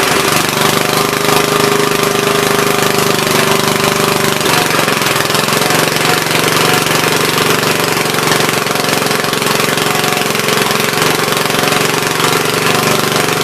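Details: Troy-Bilt tiller after replacing bad spark plug: small single-cylinder runs fast and steady with an even buzz, no misses or stumbles, clean.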